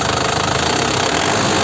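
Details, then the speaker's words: Isuzu Panther LM Smart Turbo 2008 diesel, manual, injection pump still factory-sealed, warming up after start: even diesel clatter at idle with a steady, quick beat and no uneven knocks; healthy. "Yah, suaranya masih terdengar bagus, kan? Stasiun radio itu masih jernih dan enak didengar."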